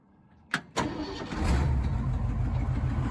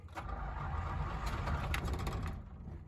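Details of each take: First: 1977 Jeep CJ5 after carburetor cleaning and new fuel line, cold start with no choke after sitting a couple of days: short crank, catches at once, steady even idle; normal cold start. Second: 1977 Jeep CJ5 cranked after pumping the pedal with choke: starter turns the engine at a steady, slightly uneven pace but it never fires; crank-no-start, owner suspects flooding.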